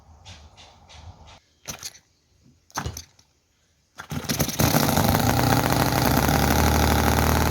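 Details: Chinese model V-twin petrol engine (Cison FG-VT9 9cc or Microcosm R28 4.3cc), oil in crankcase, poor fuel tank: catches after tries, races loud and ragged with popping, leaks oil, won't idle slowly; cause unconfirmed.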